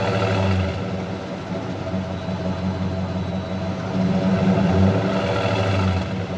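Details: 2005 Dodge Ram 2500 Laramie 4x4 with 5.7 Hemi on LPG, after cleaning throttle body and refitting intake manifold: steady low V8 idle with an even beat and slight rise mid-clip, no stumbling or misfire; improved, smooth healthy idle.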